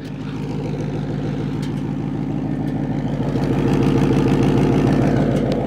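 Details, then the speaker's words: Supercharged 2019 Mustang GT with P0300 random misfire code, pulled off the road after driving, at the tailpipe: steady even idle, no stumble or miss; idling fine apart from a slightly dirty tailpipe. "idling fine let's go inside the hood here and see if there's anything else"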